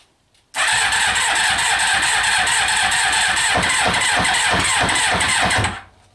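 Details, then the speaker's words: Kawasaki Eliminator ZL600 four-cylinder, long non-running, first start with fresh petrol, new plugs, cleaned carbs, new battery, new air filter, choke on, old oil needing change; cranks briefly, fires at once, settles into even steady idle; runs healthy. "right guys good news I'm not gonna run for much longer because the oil over there needs changing badly but the bike is running it's running"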